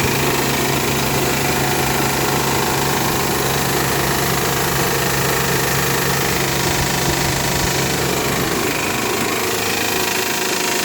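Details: Honda Pilot cold start: busy metallic rattle over a steady idle hum, lasting about 10 minutes after first start, then the engine runs perfectly all day.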